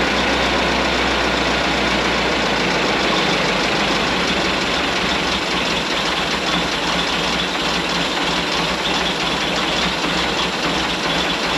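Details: 1927 White dump truck, first start after sitting 20 years: a loud, steady idle with mechanical clatter but no miss or knock. It sounds like new with 28 psi oil pressure; normal idle.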